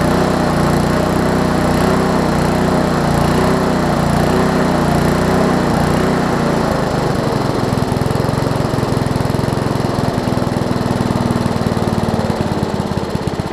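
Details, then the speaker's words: Lawn Chief push mower engine, turned 180 degrees with a new recoil cover, air-fuel mix corrected: buzzes steadily, then settles to a slightly different speed and holds it without surging or stalling; cold starts need starter fluid. "i think part of it was because the air fuel mix was a little off originally but i can show you that the air fuel mix is pretty good right now so we'll go ahead and run it real quick"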